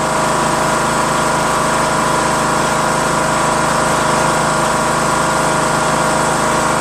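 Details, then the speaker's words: Craftsman LT2000 19.5HP lawn tractor engine after valve lash adjustment, which fixed the loud running and front clicking; steady, smooth, quieter idle with no top-end ticking and no valve cover leaks. "Cool. Idles well. Nice, smooth. No leaks."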